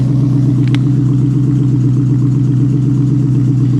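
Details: 1973 Plymouth Scamp flood car (salvage auction buy) V8 at idle after driving, transmission shifting fine: deep, even burble with steady rhythm, no misses, knocks or ticks; normal healthy idle.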